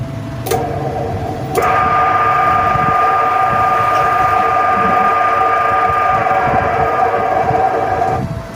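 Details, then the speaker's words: 2 HP Heco electric motor test-run right after bearing replacement and reassembly, before the fan is refitted: smooth, even hum with a clean steady whine, no rumble or grinding. It was very noisy before; the slight remaining noise is from paper inside. "देखें दोस्तों पहले आवाज बहुत ज्यादा दे रही थी अब आवाज नहीं दे रही अब ब बे माकूल सी आवाज है बे मामूली सी जिसको ना होने के बराबर आवाज है"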